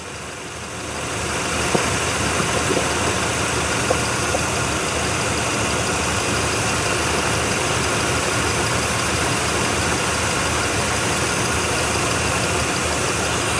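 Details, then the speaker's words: 1993 Chevy 1500 OBS truck running after sitting 16 years, new battery, own fuel pump working, gauges dead: smooth steady idle, even rumble, no ticking, knocking or misfire; it later starts smoking, likely from added oil. "got ourselves a runner. It's not smoking anymore. No smoking. No knocks, no dings, no loud noises from the end."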